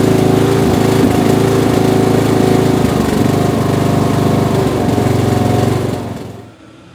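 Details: Bolens M762F lawn tractor, 10 hp single-cylinder, on test drive after zero-compression teardown and rebuild, burning off spilled oil: pulls steady and even under load with no misses or knocks, then shuts off cleanly; runs healthy.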